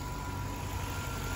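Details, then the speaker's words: 2002 GMC Yukon XL, 5.3 Vortec V8, over 315,000 miles, original engine, fully warmed up: low even idle with steady rumble and no ticking on top; lifter tick gone once warm, normal idle. "but listen to it and it's fully warmed up the lifter tick is gone"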